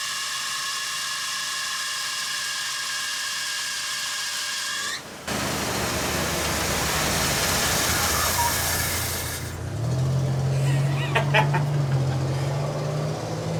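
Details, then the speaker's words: Cold Bullnose Ford V8, fresh EFI-to-carb swap, first start on starting fluid, running off a small tank with 2-stroke gas: loud high squeal that drops as the engine catches and settles; worn alternator belt, due for replacement, slipping badly. "You'll have to excuse the alternator belt. It's kind of due for replacement."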